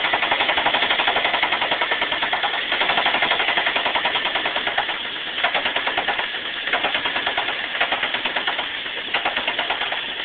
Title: ticking sound 99 saturn SC2 Dual Head